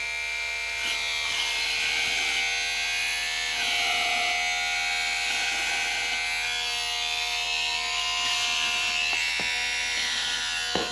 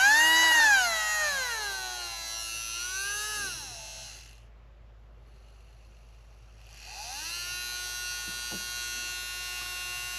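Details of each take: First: R/C monster truck (Marui Big Bear) small electric motor on power supply before oiling: steady whine with dry raspy buzz from dry bearings; noise improves after oiling the bearings. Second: Marui Big Bear R/C monster truck small electric motor on a power supply: whines up and down, pauses, then holds a clean steady high hum after oiling its bearing, running smoothly.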